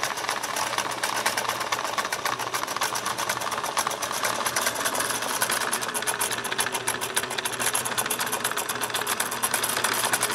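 A fast, uneven, clattery ticking with a metallic rattle throughout; the mechanism is running rough, and the cause is not yet found.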